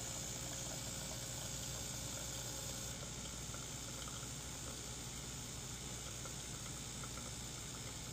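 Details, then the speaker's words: DeLonghi espresso machine (European 220 V unit on a transformer to 120 V), customer complained of loud pump and low coffee level; after bleeding air and replacing the flow meter, constant buzzing pump hum with steady flow, no stutter. No problem found, level is factory preset. "But in this particular machine, I don't think there is a problem. And this is just the preset from the manufacturer settings."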